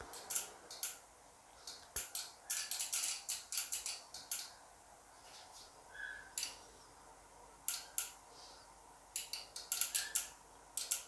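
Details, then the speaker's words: Dual-channel lab bench power supply whose output voltages on both channels keep fluctuating without touching the voltage knob; sharp, irregular bursts of relay clicks as the relays chatter on and off. "take a look at the two channels the voltages of the two channels they keep fluctuating without even turning the voltage knob you can also hear the relays"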